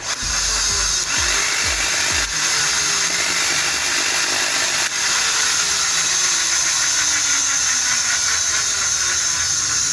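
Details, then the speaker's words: ARSHIA TURBO FORCE 3000 meat grinder after old lubricant was removed and metal gears regreased; smooth even motor whine with light steady gear hum, noise almost gone; normal gearbox running, cause was lack of lubrication. "As you can hear, the noise has almost completely disappeared, which means it was due to a lack of lubrication."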